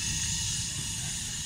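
An even, steady rush of hiss with a soft low roar underneath and no popping or fluttering: the burner is firing cleanly.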